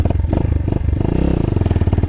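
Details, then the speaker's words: A Chinese single-cylinder carbureted motorcycle coughs and stalls after running flat out uphill, despite a new ignition box. The beats stumble unevenly and cough back through the carburetor before dying. The needle was raised; the owner suspects it needs a different jet. "You hear that? Coughed through the carburetor, was like, whoop, I'm done."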